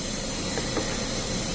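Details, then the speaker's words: GM vehicle, P0128 repair, Mac Tools vacuum tool bolted on the cooling system while replacing the coolant temperature sensor: steady loud air hiss with faint coolant gurgles underneath; vacuum holding coolant back, nothing leaking, normal. "you listen closely, you can hear the gargling sound."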